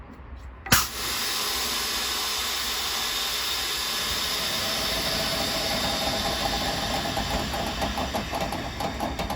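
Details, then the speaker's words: Trailer air brakes applied via the trailer handbrake button, venting air from the brake cylinders: sharp pop then long steady hiss over the idling diesel; normal air brake application. "so actually that is dropping the air out of the cylinders and see how the brakes came on"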